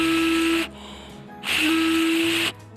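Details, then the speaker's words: Blow test on the Kawasaki Ninja RR two-stroke reed valve block (second-hand bike, petal gaps measured slightly uneven); steady buzzing trumpet-like note on each breath means the reeds seal, so power shouldn't feel weak: healthy reed valve seal. "jadi ini sudah berfungsi dengan baik Yasim yang beratnya sudah bunyi kayak trompet jadi dipastikan tenaganya enggak ngempos lagi"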